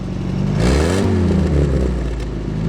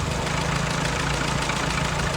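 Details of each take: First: Early-1942 WW2 Ford jeep barn find, light acceleration: revs up smoothly twice and drops back evenly, no knocks or misfires; some whitish-blue smoke but sounds sweet. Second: Early-1942 WW2 Ford jeep barn find, 79 years old, unrestored engine: steady lumpy idle creeps up as the carb mixture is turned out from too weak, where it was dying, toward the right setting.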